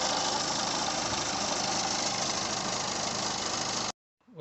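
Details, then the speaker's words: Peugeot 2008 1.6 HDi DV6 diesel, 131,000 on the clock, at idle: constant rattling rumble from the crankshaft pulley at the front of the engine, slightly quieter after spray grease behind the pulley; failing crank pulley, to be replaced. "if we start it up it has quite down a little bit but we've got a noise coming from the crank pulley just in there"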